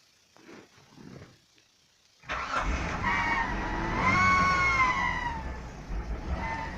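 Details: Hyundai Tucson V6 2.7, cold start in an unheated garage after −30° frosts and cleaning the idle air control valve and throttle; after cranking and catching, a high ringing whistle swells and fades as revs climb; idle unstable, stalls, source unidentified.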